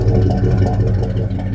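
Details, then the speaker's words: 1984 Chevy C10 truck V8 at idle, deep steady rumble with an even beat and no knocks or ticks; engine sounds healthy, normal idle. "I I I love how this old truck sounds"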